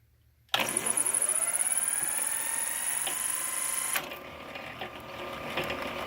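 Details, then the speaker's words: 103-year-old 1915 1/4hp Century Model RS motor on 1916 power hacksaw; spins up with rising hum, then quiet steady whir with faint clicks as governor kicks in; runs smooth, normal. "Real quiet motor. 103 years old. Smooth as can be."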